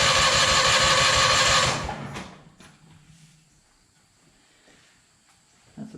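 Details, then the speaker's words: Hobart welder generator, unused for years, battery weak so jump box added: fast, even cranking about three beats a second for two seconds, never catches; fuel starved, fuel then dribbled into the carburetor. "sign we're definitely uh needing a little feel help that's for sure pull this air cleaner off and dribble a little fuel down the carburetor"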